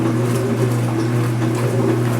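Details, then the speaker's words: Speed Queen washer agitation cycle after a repair of its earlier loud agitation noise: a low, steady hum with soft sloshing and no rattle or clunk, with the microphone near the camera. It is quiet and healthy. "here it goes here it goes same Sani microphone no noise all in a normal distance now I have the microphone near the camera nice and quiet especially when there's some Suds in SHO like"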